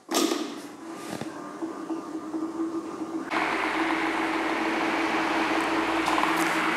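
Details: Pedestal fan reassembled after replacing the weak capacitor that caused humming and slow speed: after some handling noise it settles into a smooth, steady whir with an even hum, spinning freely at speed.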